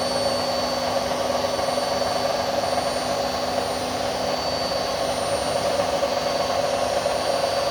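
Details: Indesit My Time washing machine under 3 years old, drum spin: even steady whirring roar with faint high whine, no knocking; owner suspects drum bearings just starting to wear.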